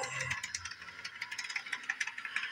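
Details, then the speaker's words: Bachmann Doodlebug model motor car, repaired after being dead, crawls slowly even at full throttle on DCC controller; fast uneven high-pitched gearbox ticking with occasional pops, suspected damaged gear; owner unsure, possibly decoder setting. "Seems like that's oddly running pretty slow. I don't know why it is. But it is going. I think it's cranked all the way up. I don't know why it's not moving any faster."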